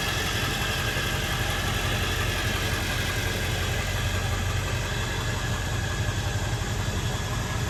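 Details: 1999 Ford F-350 Lariat Super Duty 4x4 with the 7.3 L Power Stroke diesel and 46,385 original miles: an even, steady idle clatter with no misses, knocks or surges. Normal healthy idle.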